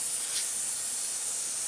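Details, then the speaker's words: Freedom Hauler / Idaho Tote trailer air lines, compressed-air system charged: thin weak steady hiss from a leaking line joint fitting, louder the day before. "a slight hiss isn't it yeah it was louder yesterday okay let me put it in reverse and i can hear it but it's it's a weak sound but it's there's something in there"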